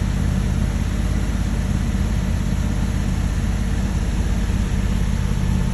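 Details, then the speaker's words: 1968 Dodge Monaco 500, numbers-matching 440 Magnum V8, rebuilt engine running for first time since 1986 after barn storage: deep, steady, even rumble with no knocks or misses; running smooth and healthy. "um but we managed to get this 1968 dodge monaco 500 running for the first time since 1986."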